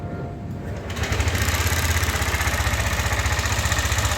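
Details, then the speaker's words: Yamaha NMAX V2 scooter engine at idle and light revs: loud, heavy, even metallic clatter at roughly four knocks a second, reportedly louder when cold; camshaft bearing found crushed. "Okay so yun yung issue nung unit ni bossing. So maingay talaga makalansing ayan."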